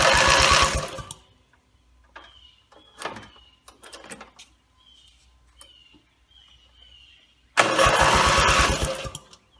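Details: Rebuilt Briggs & Stratton mower (carb rebuilt and filling, timing dots aligned, valves seated, compression unknown) gives two short bursts of even cranking pulses with quiet between and never fires; gas later leaked from the muffler bottom, and the owner suspects it isn't getting fuel.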